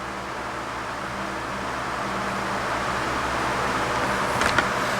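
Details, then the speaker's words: 12" Ambassador (Lasko/Galaxy) oscillating table fan after cleaning and servicing: smooth steady whoosh and low hum, much quieter than before, with a faint metallic rattle from the shaft hitting in back; thrust washers wearing. "Huge difference in the sound. Working much better now."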